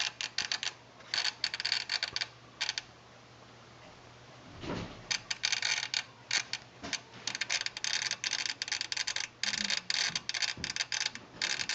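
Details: Long-in-the-tooth Sony STR-DA555ES home receiver suddenly started clicking while watching TV: rapid dry chattering in irregular bursts over a faint steady low hum; unit opened up, fix not yet known.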